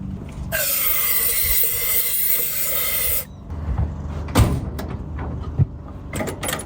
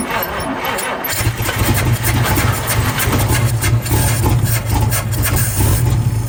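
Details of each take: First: 1952 Chevrolet Bel Air 235 six, sat about 3 years, new carburetor fitted, earlier no spark: steady whirring crank for about three seconds with no firing, then silence; turns over but won't start. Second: 1952 Chevrolet Bel Air 235 six, first start after about 3 years with new carburetor: brief crank, catches at about one second and settles into a steady, even low idle rumble; runs fine.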